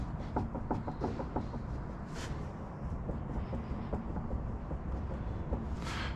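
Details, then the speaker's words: Honda Civic EG being prepped for a trackday: front right wheel rocked by hand at the two o'clock position gives a series of soft, dull clunks, and the play stays at two o'clock, so probably not the wheel bearing; loose front suspension part suspected. "that's me pushing about two o'clock on the Wheel now if it was wheel bearing it'd move with it right but it's always two o'clock always two o'clock"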